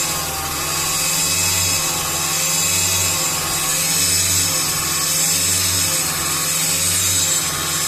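A steady raspy buzz from the engine bay, swelling and fading about every second and a half; the source isn't pinned down.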